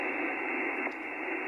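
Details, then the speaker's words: HF receiver with all station earthing disconnected, no preamp or attenuation: a steady loud hiss with no clear signal, more noise and a big dip at the bottom of the band; high noise floor, source unconfirmed. "there's a lot more noise here it's just big dip out at the bottom of the band"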